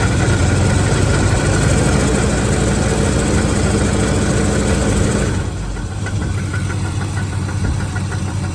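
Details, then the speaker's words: 1982 Ford F-150 with 302 V8 idling after fuel leak and power steering line repairs; light rhythmic knock at the front, easing as revs drop; owner suspects a pulley, hopes not rod knock, not heard underneath; unconfirmed. "I wanted to point out that noise you could hear in the video I've been trying to figure out what that noise was"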